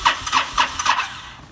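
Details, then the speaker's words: Honda VTX1300 stored five years, needs choke held to start, new battery, stale smelly fuel: four quick cranking pulses fade without catching; hard starting suspected from stale fuel. "that gas stinks. You can smell it? Yeah. I think that's part of my problem."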